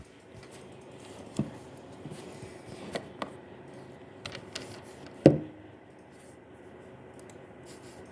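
Quiet fan hum broken by irregular scraping clicks and one louder grinding burst from a graphics card. Cause suspected, not confirmed.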